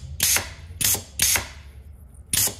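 Four sharp hissing air bursts, each a quick puff with a faint click, as the range valve exhausts on every shift; clean, healthy operation.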